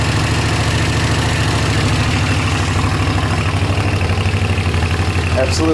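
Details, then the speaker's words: Honda CX500 twin with a bad front seal leaking oil when hot: even, low thrumming idle with a steady beat and no misses or knocks; running much better than at first start, normal idle. "it's leaking pretty good but yeah it's actually running a lot better than it was whenever I first had to start it up"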